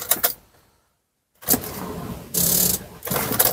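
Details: Nissan Sunny left six days in a garage, battery about four years old with weakened acid: short labouring starter bursts turning slowly and stalling, no catch at all. Slow crank, no start from a weak, discharged battery.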